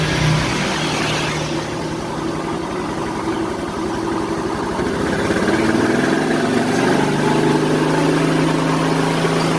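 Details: Yamaha Mio Soul scooter, previously very noisy rough engine, running after engine reassembly: brief rev settling into steady, even single-cylinder idle, no knocks or ticking; normal idle.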